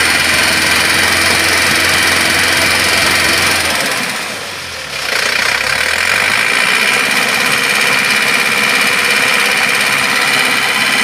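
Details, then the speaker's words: Isuzu Panther diesel just bought from a showroom, knocking like a valve when revved above 2000 rpm or from idle, still present after valve adjustment; hard metallic rapping three to four per second while revving, pistons striking the cylinder head. "dia bunyi nrek seperti klep tapi ketika ditanyakan kepada showroom-nya katanya suruh set klep"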